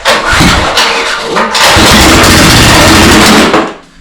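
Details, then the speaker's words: Small-engine power washer with bad old fuel, fresh fuel mixed in, water hooked up: engine fires, surges unevenly and sputters, then dies after a few seconds; rough running, suspected from the bad fuel, not confirmed. "Ooh, that doesn't sound good."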